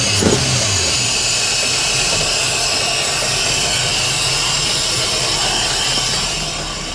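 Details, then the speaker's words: 1989 Wellcraft with a Mercruiser 350 Magnum V8 converted from a Quadrajet carburetor to Jegs Bandit throttle-body EFI: low, even burble idling steadily without hunting, under heavy rain hiss. "even idle and perfect"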